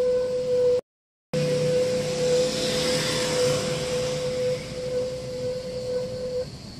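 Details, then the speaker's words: Car moving off after being parked for three days or more: a steady mid-pitched squeal, which can be caused by dirty rear brake shoes (canvas). "tiba-tiba disaat kita jalan mobilnya itu bunyi speerti tadi ya itu bisa disebabkan dari kanvas rem belakang yang kotor"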